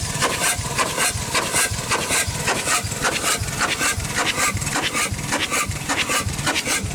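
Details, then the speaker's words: Chicago Pneumatic steam engine/air compressor over 100 years old, first run in decades with the cylinder head off: a steady rasping hiss puffs at roughly 105 per minute. Steam leaks past worn packings and seals; it is unbalanced and needs bolting down. "uh she definitely needs seals everywhere not a very balanced unit so it would be bolted down for sure"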